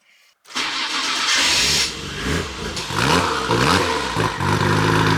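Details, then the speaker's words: Nissan R33 GTR Skyline that would not start after parking, starting after the fuel pump was rewired and fuel lines reconnected. Short crank, catches straight away and settles to a steady idle with throttle blips. "So yeah, that's a Nissan Skyline all back up and running."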